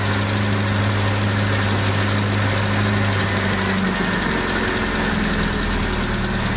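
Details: Abandoned 1979 Triumph Spitfire, revived with fuel system hooked up, warm idle: an even rumble that smooths out partway through, no knocks or misfires, settling nicely like a kitten. Clutch and brakes not yet working.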